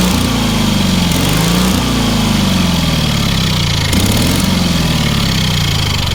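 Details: Engine on a free, long-neglected trailer-mounted man lift (cherry picker), water found in the oil and corroded intake, throttle half open; small single-cylinder runs steadily with slight speed hunting, no knocks or misses; runs healthy, amazingly well for what it is.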